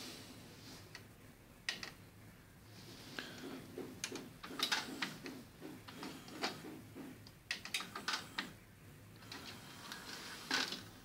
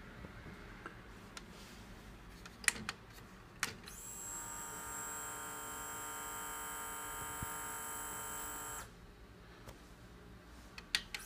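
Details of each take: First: Sony HCD-H881 1990s hi-fi 3-CD changer after replacing melted drive belts and cleaning oxidized mode switch contacts: light crisp clicks and whirring as tray loads and changer cycles, no slipping or grinding; working normally. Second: Sony HCD-H881 1990s hi-fi three-disc CD changer, tray removed: about five seconds of steady high motor whir with no clicks or tray movement; the motor spins freely because both drive belts are broken and melted, before belt replacement.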